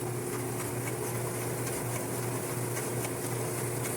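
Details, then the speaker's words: GE gas clothes dryer that squealed badly, running empty after repair: a smooth, even, steady low hum from the turning drum with no squeal or scraping; the drum runs normally. "ven está corriendo super parejo y esta reparación funcionó 100% bien"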